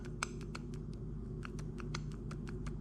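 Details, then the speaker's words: Rear wheel hub removed from a Corvette C4 spun by hand: irregular dry clicks and rough ticking, with wobble and dust from the ring, worn rear wheel bearing. "So here's the hub. Hear how noisy that is, and it's got"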